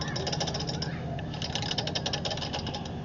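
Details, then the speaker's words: 2008 Craftsman YS4500 lawn tractor non-starter, top end opened (cover bolts found finger-tight): fast, sharp metallic clatter in step with cranking from the valvetrain; valve clearance far too loose, gaps wide enough for a screwdriver, later adjusted. "You see that? That shouldn't be doing that. That's way way too loose."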